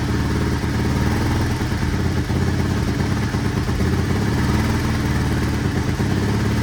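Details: 1983 Honda XR200R single-cylinder after top-end rebuild and engine overhaul, first start on half choke: even steady idle with clean firing pulse, no ticking, rattling or cam chain slap; cam chain to be checked when warm; normal idle.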